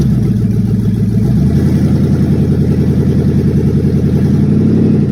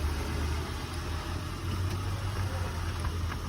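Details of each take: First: A loud, raspy, uneven rumble swelling with each rev and a deep open exhaust tone on a truck; the exhaust pipe is broken and patched with aluminum foil tape, and the catalytic converter is not cut out. Exhaust leak. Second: 2000 Acura TL with 3.2 VTEC engine, started right up on a jump box and shifted reverse then forward, holds a steady low, unbroken idle rumble with no knocks or misses; sounds real good.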